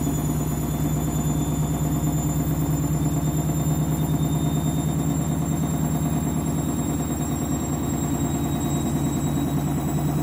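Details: Candy washing machine with new clothes, final spin ramping up: steady drum hum with fast uneven flutter laid over it; strange noise during spin, cause unclear.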